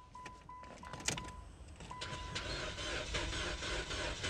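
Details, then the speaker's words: 2012 Chrysler 200, crank no start: a few chime beeps, then steady cranking that never fires; fuel pump heard running and fuel ruled out. "oh it's not a fuel problem guys oh no all right gotta go to plan B now"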